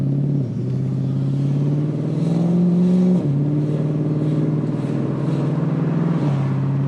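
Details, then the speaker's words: Infiniti Q45 V8 with hardwired Audi R8 coil packs and 3-inch intake reducer, on 94 non-ethanol, test drive: smooth pull, clean rising tone, gear shift drops pitch, no misfire or stumble; drivability issues apparently fixed. "Yeah, it feels a lot better. I think I fixed all our drivability stuff, which is cool because that means that we can drive basically ethanol free to the track, right?"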